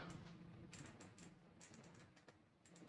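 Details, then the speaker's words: Riton Tactix X3 1-8x24 LPVO rifle scope turret being turned: crisp, distinct little clicks, unevenly spaced, each detent landing cleanly. Spins relatively easily but engages each click, a normal turret. "as far as the feel the tech tactile you know feeling the clicks and hearing the clicks it's not too bad uh it does spin relatively easy but they do feel like they engage in each click really"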